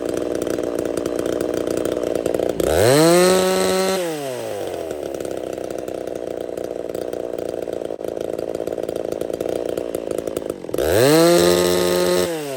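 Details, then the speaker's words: Ported chainsaw "Little Mac", run all summer: crisp revs to sharp high scream and back to idle, never blubbering, dies if set rich; lean running, will not four-stroke. "Little Mac does not at all like to be even the slightest bit rich. It sounds like it's lean, like it will not 4-stroke this saw."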